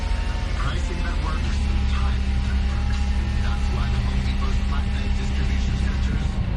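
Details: 2006 Nissan Murano after A/C clutch repair (new 10 amp fuse, relay/IPM connectors reconnected), no A/C for two years: steady even idle, constant low hum, no squeal or clatter; compressor engaged, A/C running normally.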